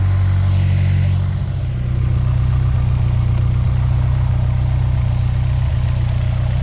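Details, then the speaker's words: Honda S2000 after a fuel injector swap for a sputter: low, even idle with a steady beat about four per second, no hunting; once warm it seems to idle a little better than its usual float and bounce around 1,000 rpm. "Seems to be idling a little bit better. I think typically at idle it was floating just a hair over the 1,000 mark and bouncing down and up."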